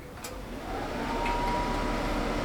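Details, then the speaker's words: RV furnace started by touching the thermostat wires together at the furnace, bypassing the thermostat; quiet at first, then the blower spins up within a second into a steady, even rush of air, furnace receiving the signal and starting normally. "Yes, we do. Okay. So, that's great. So, we know the furnace at least is going to uh at least it's getting the signal from here."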